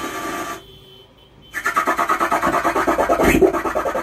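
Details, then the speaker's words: Stranger UB 75 12-volt 75W amplifier switched on, making extra noise: after a quiet gap, harsh rasping crackle pulsing about three times a second instead of clean sound — distorted crackling amplifier output. "आज इसमें समस्या यह है कि यह amplifier इसको मैं जैसे ऑन करता हूं तो इसमें अलग से नॉइस आती है अलग से आवाज आती है"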